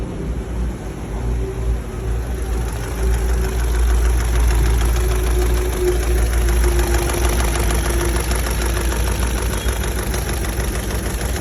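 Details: Chevrolet Lacetti/Cruze petrol engine at warm idle, with a steady light knocking tap about three times a second over the hum.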